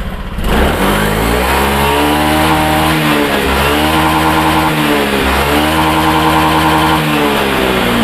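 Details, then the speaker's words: Honda Beat Pop scooter after fuel pump fix and reset, throttle blipped: clean, even revs rising and falling smoothly with no stumbling or popping; earlier stalling/brebet traced to weak fuel pump pressure (about 20 PSI), now gone. "ya gasnya diblair ini teman-teman bisa lihat sendiri tidak ada terjadi kendala brebet"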